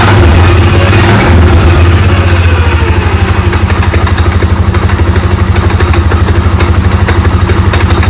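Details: Polaris Sportsman 550/850 ATV at idle after the clutch was reshimmed with two shims to fix hard shifting and creeping: a steady low idle with an even, slightly lumpy beat and no belt chatter. The clutch no longer turns, which is normal.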